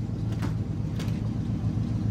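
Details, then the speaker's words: 1965 Chrysler Newport police car V8 with glass-pack mufflers, warming up after a cold start; deep, steady low exhaust rumble with an even lopey idle pulse, no knocks or misses. "this car I put glass packs on and I love the way it sounds it does have a really nice sound to"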